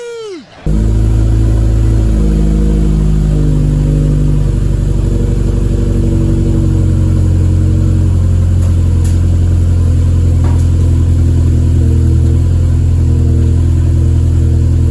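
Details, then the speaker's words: Car's first cold start in a long time after fixing fuel lines that were hooked up backwards: cranks, fires at once and holds a steady, smooth fast idle with a deep even drone and no knocks. "So now we finally hear a cold start."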